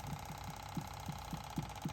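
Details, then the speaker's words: 2005 Chevy Equinox with P0455 EVAP code, after purge solenoid replacement, engine idling: crisp, even clicks about three or four a second as the new solenoid is commanded on; old one made no noise; solenoid now cycling normally. "It's working. So you can see the difference now."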